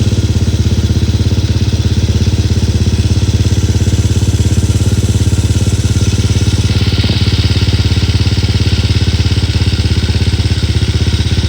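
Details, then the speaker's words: Freshly built and installed full-spec 65 engine with converted clutch on a motorcycle, first start: steady, even single-cylinder putter at about three and a half beats a second settling into a regular normal idle. "Ah dan sekarang tiba masa untuk kita start lah. Okey. Bismillahirrahmanirrahim. Ni first start eh."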